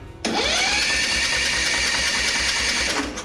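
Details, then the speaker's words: Craftsman ZTS7500 zero-turn, Kohler Courage engine, spark plug removed (wet with carb cleaner); even fast whir rising to steady speed with no compression pulses; engine spins freely, has spark; owner suspects compression release issue in valve train. "The engine should be able to spin over pretty easily now with no compression, hopefully."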